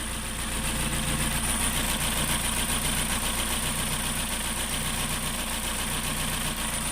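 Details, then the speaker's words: 2.0 SOHC interference engine after a broken timing belt and six bent valves replaced, alternator belt off, running on a battery charger: even, steady idle with a smooth regular beat, no misses or knocks; normal idle. "That's how good it sounds. No more miss. She is purring like a kitty."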